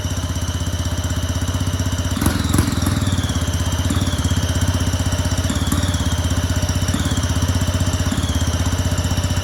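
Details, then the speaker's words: Two-stroke go-kart engine on premix, open exhaust: fast, even chattering beat with no misses, steady settled idle; runs and idles nicely, though owner suspects the carb makes it very hard to restart. "keep trying to start the engine and seems to run right and Chin carburetor seems to idle nicely"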